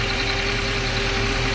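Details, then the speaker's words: Audi A4 B6 1.8T Quattro wagon, first start after two-month engine rebuild and swap: steady even idle with smooth hum and faint constant whistle, no knocks or misses; normal idle. "and it sounds sick"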